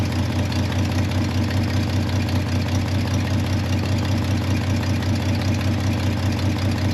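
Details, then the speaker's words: C30 truck engine just fired up, with an existing exhaust manifold leak: a low, steady V8 idle with a quick rhythmic puffing tick over the rumble. Exhaust leak. "all right let's play off CU she's running you still got the leak there for the exhaust can't work too much out"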